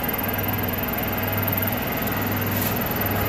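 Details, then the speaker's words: Otis elevator motor, replaced around Christmas and aligned, with brass oil-ring running dry and low oil: after adding non-detergent 30-weight oil on the ring, even steady low hum with no scraping while the car runs to floor six; another machine also running nearby. "And it sounds so much better."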